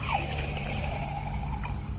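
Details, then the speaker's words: Yamaha XL1200 jetski 2-stroke crankshaft, removed and soaking in 20–25:1 two-stroke mix, bearing spun by hand: very loud, gritty, grinding rumble with a thin sliding whine from a worn crankshaft bearing. "These bearings are loud. This is a 2-stroke mix, about 20-25 to 1. You can hear the bearings, very loud, grindy."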